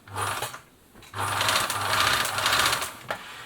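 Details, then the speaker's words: Singer 760 sewing machine (German-made 700 series), run before oiling with the lid still on: a fast, uneven mechanical clatter over the motor hum. The toothed motor belt tested fine, so the rattle's source is not yet pinned down. "Bit of a rattle. Let's take the lid off. Let's go through and do some oiling here."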